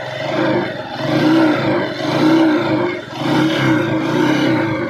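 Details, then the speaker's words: Honda TMX motorcycle, hard starting and stalling after choke start: noisy engine with loose clattery knocking and ticking rising and falling about once a second under the exhaust; engine to be dismantled for overhaul. "Issue nito guys maingay yung makina makaldag ah may kalampag malagitik tapos hard starting siya."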